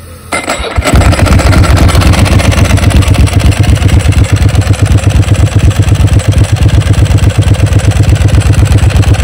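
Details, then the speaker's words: Ducati 999S motorcycle, formerly owned by 44Teeth, revived and out on a road test: catches after a brief crank and settles into a steady, even, lumpy twin-cylinder idle at about four beats a second; running clean, better than it ever did before. "I don't think the bike ever ran that good when 44 tth had it she absolute sweetheart now oh"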